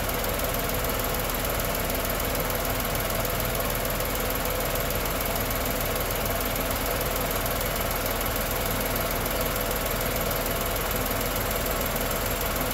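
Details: Tata Nexon 2020 BS6 XZA+S petrol engine idling with AC on: steady even hum, no knocks or rattles; healthy normal idle.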